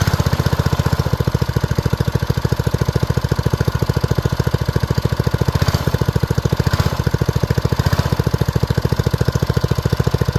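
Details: Old BRS F1 265E go-kart single-cylinder engine, run with no air filter after priming, fires right off: steady, even putt at fast idle, no misses or knocks; normal running shortly before it later went "chunk" and shut down.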